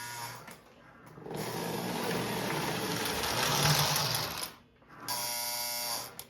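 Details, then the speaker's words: Lionel 671 locomotive after 15-25 years in storage with old, gummed grease: a thin, high electric whir in two steady spells; the motor spins freely and sounds good after being run a little. "It actually sounds pretty good. It sounds pretty good. And the good thing about it is it probably just needed to be run a little bit."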